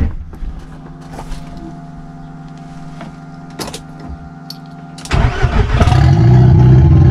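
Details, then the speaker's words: VW Golf 1.8 Turbo first start, reprogrammable ECU: faint steady fuel pump hum with a few clicks, then the engine catches at five seconds and settles into an even run. "Je suis soulagé, tu sais même pas comment. Donc elle a démarré"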